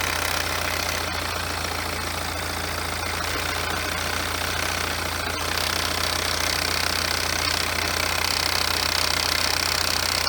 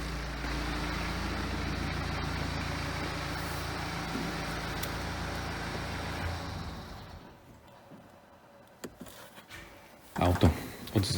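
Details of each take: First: BMW F34 320d with B47 diesel, manual, all-wheel drive, about 150k, heard during inspection: idling with a steady high rough whirring whine over the clatter; worn, noisy alternator, a very rare fault on this model. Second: BMW F34 320d, B47 diesel, manual with all-wheel drive, after alternator replacement to cure noises: steady even idle with no whine, rattle or rough beat for several seconds before shutoff; noises gone, healthy.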